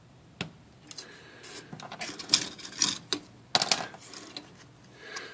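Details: Typewriter after broken ribbon drive spool spindle pin replaced with bent paper clip: crisp uneven typebar clacks with light ticks, no scraping or binding; ribbon advancing normally, repair works.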